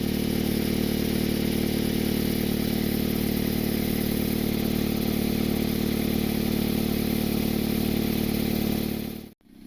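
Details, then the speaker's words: Exhaust leak persisting after a roofing-cement patch on a completely shattered flex pipe, smoke visible: steady idle with a fast, even puffing rasp underneath, about four pulses a second. "there still seems to be a leak right over here I mean the flex pipe is completely shattered yep there you go you can see the smoke"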